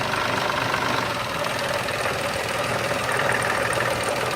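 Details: Petrol engine idling in gear, shifted between reverse and drive, with a harsh metallic clatter of roughly four knocks a second over the running noise; severe knock heard around an oil change, cause suspected, not confirmed.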